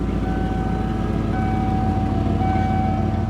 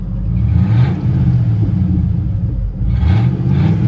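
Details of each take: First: 1995 Ford F-150, low on coolant, running after a previously non-running state: smooth, even idle with steady low drone and no knocks or misses; normal idle. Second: Ford F150 with 300,000 miles, running after topping up 6 quarts of transmission fluid, pulls smoothly under throttle with a loud, deep rumble and raspy edge from an exhaust leak.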